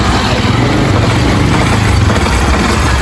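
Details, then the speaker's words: New, zero-km 150 cc motocross bike, owner worried about heavier noise at startup; even idle with light, quick cricket-like ticking up top from the loose decompressor spring near the cam chain sprocket; normal decompressor tick. "Essas moto Cross Facto Face 150, essas motinhas ela tem um barulhinho sim. Mas sabe por que que ela tem um barulhinho assim de grilo, né? Por causa do no peão ali em cima, onde pega a corrente de comando, ela tem descompressor."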